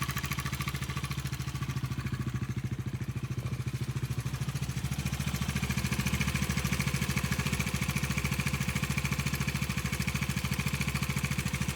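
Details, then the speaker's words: New 2026 Bajaj Dominar 350 at 1,300 km, idling: steady tak-tak-tak tick, about three or four a second, over the exhaust; knocking appeared suddenly after an 80–90 km ride and the owner is taking it to a service centre. "ಏನಕ್ಕೆ ಅಂತಂದ್ರೆ ನನ್ನ ಗಾಡಿನಲ್ಲಿ ಸಡನ್ಆಗಿ knocking sound ಬಂತು ಟಕ್ ಟಕ್ ಟಕ್ ಟಕ್ ಟಕ್ ಅಂತ"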